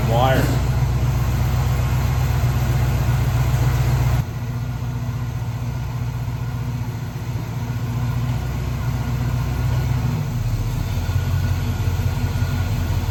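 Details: 1970 Pontiac Catalina V8 convertible, running again after an engine fire and rewiring: deep, steady idle at roughly four beats per second, even and smooth with no misses or knocks; normal idle.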